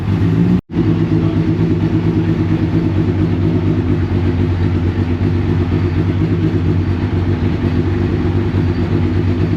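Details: Rebuilt Deep Orange 9 engine held at a steady fast operating point by someone keeping the throttle on. Low, even drone; it won't idle and dies when the throttle is released.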